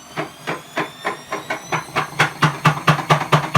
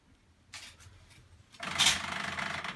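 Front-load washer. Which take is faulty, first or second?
first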